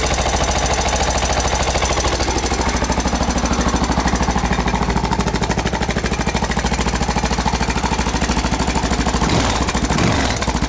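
Steady single-cylinder idle with a dry, fast metallic clatter riding on every firing beat, typical of a slack timing chain.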